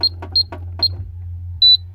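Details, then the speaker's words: Burglar alarm keypad being entered: short high-pitched chirps, single and paired, then one longer beep over a low hum; ordinary key-press tones. "the beeps are a little quieter and they and it sounds a little different but this is the burglar alarm and it's pretty annoying and that's a good thing"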